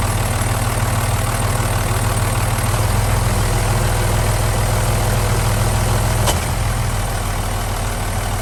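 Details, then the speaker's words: Boat diesel with Velvet Drive marine gear, old engine mounts: steady low idle with one sharp clunk dropping into gear; gearbox clunk, owner suspects loosened spline coupling at the transmission input, as found before, not confirmed. "I also be looking at the transmission seeing if there's any clunking sound coming from there"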